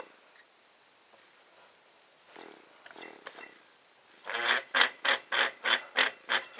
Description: This video shows how bad the bearings are when I spin the rotor.